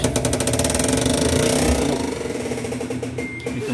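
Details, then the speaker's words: Fully automatic washing machine, spin mode: fast rhythmic clattering, about four knocks a second, as the drum strains to spin. The motor pulls but the brake isn't releasing enough and drags; it needs adjusting. "tumutunog So ibig sabihin hindi siya masyadong hindi siya masyadong nahihila kailangan nating i-adjust"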